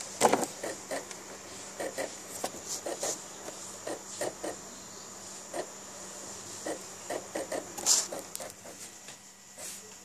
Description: The noise is very annoying and i think it is not normal !